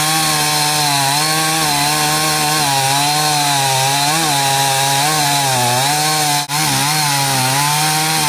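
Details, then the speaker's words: Stihl 038 AV Super chainsaw that cuts well held vertically but cuts out when turned on its side for a felling cut: high-rev scream with wobbling pitch and a brief sag near the end; cutting out when tilted, cause unknown. "It cuts perfectly that way, but as soon as I turn it into that position and do a felling cut, then it cuts out. I'll show you how it behaves."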